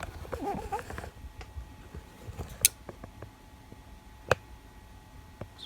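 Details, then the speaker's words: CNC stall monitor PCB prototype, new code triggering e-stop: two sharp isolated clicks in a quiet room a couple of seconds apart; relay switching normally, though monitor LED stayed off due to a missing pin in code. "Oh, something clicked. Oh, it's clicking it. Relay's not coming on."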